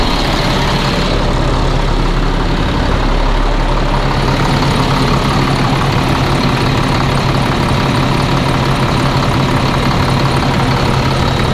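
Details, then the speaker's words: Caterpillar C7 diesel after replacing the bad turbo (was smoking, cutting out, suspected dead cylinder): steady, even idle with smooth low rumble and no knocks, misses or whistles; running normally. "yeah everything seems to be uh you doing good sounds good Run's [Music] good everything seems to be doing good guys"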